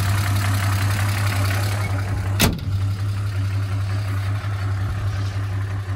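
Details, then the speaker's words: 1979 Chevrolet Opala SS6 250-S inline-six with carburetor, mechanical (solid) lifters: steady even low idle with light regular top-end tapping; normal characteristic tappet noise for this engine. "barulho de tucho característico do motor 250S, né?"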